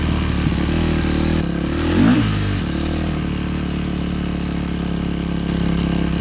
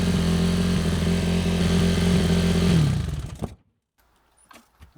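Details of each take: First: Yamaha YZ450F single-cylinder after carburetor cleaning: fast, busy idle well above normal, holding steady with a short blip midway. Rider notes it runs at quite high revs; high idle speed. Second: Yamaha YZ450F single-cylinder after carburetor cleaning and hot-start repairs: smooth, even thump at a steady fast idle for about three seconds, then shut off. Normal running.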